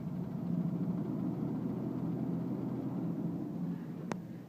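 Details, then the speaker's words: 4.3L V6 Vortec, 138,000 miles, warm idle recorded from inside the cab: dull knock about four per second; absent when cold, quieter at higher rpm and under heavy load, unchanged pulling plug wires 1, 3, 5; shop suspects rod bearing, owner unconvinced. "engine knock or tick that I've I been experiencing for the last couple of weeks still haven't figured out what it is the shop thinks it's a rod knock I'm not totally convinced"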